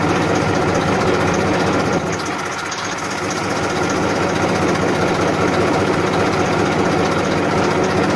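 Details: 1994 Massey Ferguson 1035 DI tractor diesel at idle: steady, even rumble and constant low hum, no knocks or misses; normal, healthy idle.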